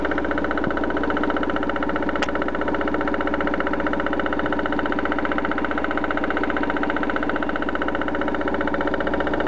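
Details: BMW 316i with M43 engine at idle: regular knock about three per second beating through a steady idle, suggesting an internal mechanical knock; source unidentified, owner avoids opening the engine on suspicion.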